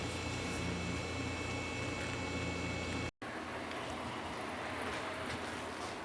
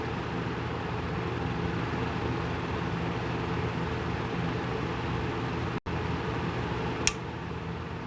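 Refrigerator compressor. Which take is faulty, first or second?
second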